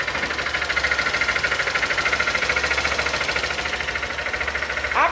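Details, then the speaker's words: Honda XRE190 at idle after a top-end rebuild fitted with a smaller Fan/Titan 160 middle gasket: a steady, hollow knock from down low; the mechanic suspects the piston hit the gasket and damaged a lower bearing, and the engine will be opened to check. "talvez com essa junta ser pequena o pistão ficou batendo lá na na junta e pode ter prejudicado um rolamento aqui embaixo né"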